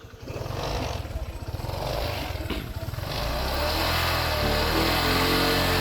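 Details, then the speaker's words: Honda SH150i scooter after CVT work using a PCX 150 roller housing (likely aftermarket): revving shows a rough rattle at low speed and residual noise off throttle, then a smoother rising drone; noisier CVT, though pull feels smoother. "ini sekarang jadi ada kayak suara nyisa gitu loh. Jadi kayak kasar lah suaranya."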